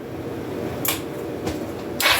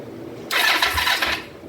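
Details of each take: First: 2004 Kawasaki Vulcan 500 stored two or three years, after float bowl bleeders were cracked to get fuel into both carbs: brief crank, then it catches into a steady, slightly fast cold idle on choke at about 35-38°F. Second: 2004 Kawasaki Vulcan 500 stored two to three years, first start attempt after carb work with petcock not yet on prime: single short starter whir about one second, no firing; fuel starvation from empty float bowls.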